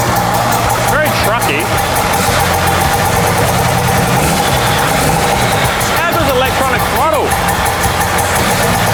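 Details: Cold start of a 6BT Cummins with a common-rail pump in a 79 Series build, with no alternator fitted and running on the battery only: the diesel settles into a firm, even clatter with no misses, knocks or hunting.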